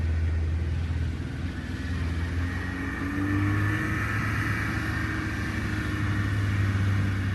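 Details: 1971 Honda 1300 Coupe 9S, air-cooled 1300 four-carb dry-sump engine, 4-speed, after carb rebuild and ignition cleanup, parking-lot drive: clean rising engine note pulling away and passing, no misfire, knock or rattle; healthy under load.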